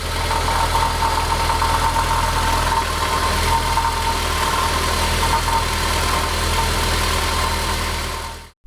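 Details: Honda S2000 at idle: intermittent loose, tinny rattle from the catalytic converter, whose aged internal honeycomb has broken loose; this tends to smash the secondary oxygen sensor and trigger a check engine light.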